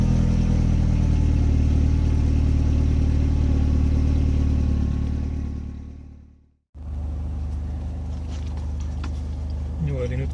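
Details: Mercedes SLK R170 with no-start/all-lights-on fault, violet light-switch connector unplugged: starts and idles with a steady even low hum, no misses, knocks or rattles; fault later fixed by replacing the light switch.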